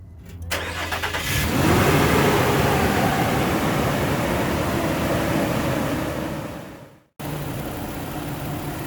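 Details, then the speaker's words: 2006 Nissan Pathfinder 4.0 after replacing a bad fan clutch that stayed engaged: engine cranks, runs evenly with fan air rushing, fan noise stopping once at operating temperature, no knocks or rattles; normal running. "So now you see that the engine is running at the operating temperature. Once it gets to the operating temperature, it stops with the noise of the fan."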